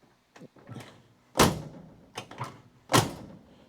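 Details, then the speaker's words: 1969 Dodge Coronet 500 sedan, driver's side door closing: a softer clunk before the latch mechanism moves and the main slam; the door is worn, sagging and needs reshimming. "It's making a clunk before that latching mechanism moves. Now, once again, that's because the guy who owned this did didn't really use the other doors. That door is worn out."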